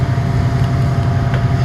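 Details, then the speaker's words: Air-conditioning compressor on a service check, sometimes failing to start and drawing locked-rotor amps instead of about 10 A running. Heavy, low, rough droning hum where a quiet run is expected. Mechanically failing compressor. "Definitely has bad compressor though, so that's too bad."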